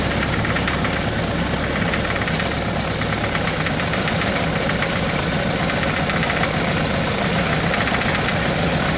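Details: Suzuki GS1100GK motorcycle: loud busy idle with rough knocking tapping about three per second; engine knock that developed, source not pinned down.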